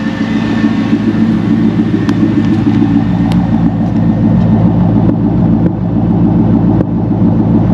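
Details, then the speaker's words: Worn 330,000-mile C5 Corvette, idling: quiet engine with an uneven beat and an occasional stumble, suggesting a slight misfire; the owner suspects the spark plugs and wires need replacing. "i don't know the engine's quiet she's quiet sounds like it has a little misfire probably i need to do the spark plugs on it wires"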